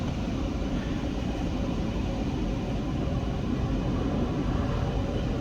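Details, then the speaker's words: 2015-2025 Ram ProMaster dash vents after replacing the failed air-direction blend door actuator that had clicked and sent air only to the defroster; steady even rush of air with low hum, problem fixed. "there it is now it's coming out of there okay so now we got to do our recalibration here so we have fixed the problem we have completely fixed the problem fantastic"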